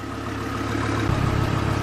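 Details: Chevy Colorado/GMC Canyon 3.5L after alternator replacement (old one made a loud noise when spun by hand): steady low idle rumble with an even beat and no whine or rattle; engine and charging side sound normal.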